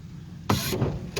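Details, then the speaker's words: Exhaust dump cutout after refitting solenoid less tight (just over hand tight): a click, then the exhaust note opens up louder and rougher; valve operating normally, problem was the solenoid being over-tightened. "look at that it is working all right so it appears that the problem was just that the solenoid was over tightened"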